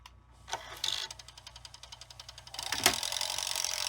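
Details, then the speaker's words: 1991 Zenith VRG-75 VCR failing to rewind some tapes: thin, fast ticking about three clicks a second that never takes hold, first blamed on the pulley clutch; actually the idler gear sticking on its shaft. "this is spinning but you can hear the clutches kind of clicking in there so I guess time to take this apart"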